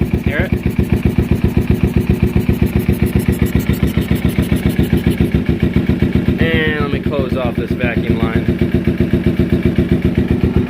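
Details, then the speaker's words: 2008–2012 Kawasaki Ninja 250R twin idling after airbox modification to a pod filter setup, owner says it gets proper air; steady even idle about four pulses a second, smooth with no misses or rattles, running healthy. "now it's super easy to pull it put it back in I know it's getting the proper amount of air just like it normally was"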